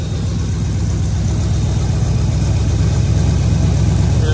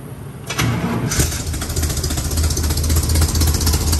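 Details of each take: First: Chevy Mule with 350 V8 warming up before plugs and wires tune-up: deep idle with uneven, lumpy, irregular stumbling pulse; suspected misfire, not confirmed. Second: Chevy Mule (UTV) 350 V8 just after new plugs and wires; before the tune-up it misfired and seemed to run on six cylinders or less. Cranks, catches within a second and settles into an even idle with no misses. Normal idle.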